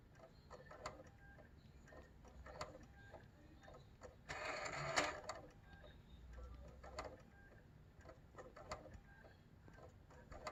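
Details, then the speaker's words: PS4 Pro loading a clean game disc: irregular ticks and clicks about three a second with a brief whir, then an unrecognized disc error; owner suspects the laser lens deck (KEM-496AAA) and replaces it. Drive clicking, fails to read disc. "t a game in it'll start making some strange noises like it's trying to read the disc um and i'll eventually get an unrecognized disk error"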